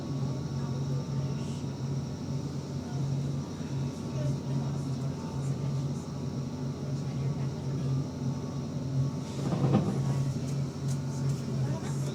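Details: Go-Ahead London GAL SEe26 electric bus on route 108 to Lewisham, idling: steady low hum pulsing evenly with a faint high crystal-like ringing tone above it, electric drive idle whine.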